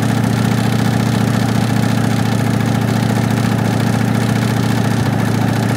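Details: 1965 Ford Mustang coupe V8 run with transmission removed, no exhaust, air cleaner off, RPM held steady: loud open-header note with repeating deep knock about three to four a second; knock felt at front of oil pan, pan to be dropped, cause unknown.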